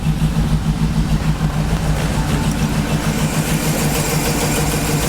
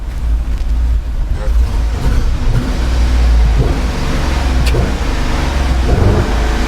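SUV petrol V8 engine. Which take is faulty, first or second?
second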